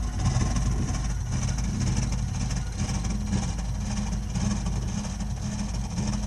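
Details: Burnham Alpine ALP150W gas-fired boiler, 3 years old, frequently rumbles when running: deep uneven rumble with rough pulsing underneath while firing; abnormal rumbling, cause not yet found.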